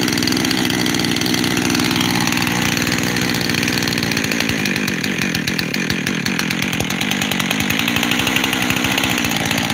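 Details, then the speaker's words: Husqvarna 372 XTorq chainsaw, freshly rebuilt with new bearings, seals and carburetor: idle won't settle, drifting between two speeds and sounding fuel-starved; owner suspects air leak at transfer cover, not confirmed. "I don't know for sure, but I really hope I'm right and it's the transfer cover, because I've got two idles here."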